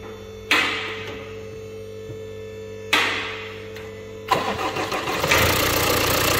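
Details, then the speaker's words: Jaguar Land Rover 2.0 Ingenium diesel just after timing chain replacement, fresh genuine oil filter and oil, in workshop: two short starter bursts, catches straight away, settles into steady even idle with no rattle, much quieter than before; DPF regen to follow. "Straight away. God, how much quieter that is. Miles quieter."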